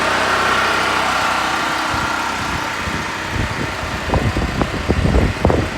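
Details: Harbor Freight Predator 4375 (3500 W continuous) generator, true first start after setup with choke: small air-cooled single buzzes at steady speed, a few uneven puffs near the end; running normally, not very loud in garage.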